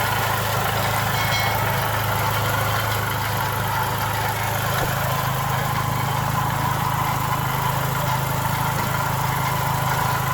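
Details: Chrysler PT Cruiser petrol engine idling, recorded from outside the car: a loud, uneven scrubbing rattle from the front of the engine, from a failing water pump bearing, leading to teardown and timing belt removal.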